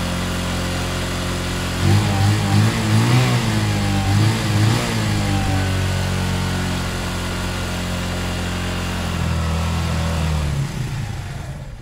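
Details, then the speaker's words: Zontes 125 motorcycle warming up on full choke; idles, then stumbles and cuts out whenever throttle is touched; owner believes carb is blocked again despite a filter, fuel starvation. "that's exactly what was happening yesterday touch the bowl cuts out yeah but it was working with me up the idle bit it was working just a minute ago with full choke that leads me to believe that the car was blocked somehow again"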